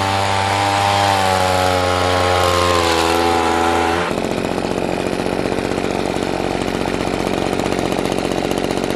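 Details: Echo PB-200 two-stroke leaf blower, found abandoned roadside, after cheap fix (carburetor line and bracket refitted): high steady wail drops abruptly to even rapid idle patter, picks up and settles cleanly; normal running.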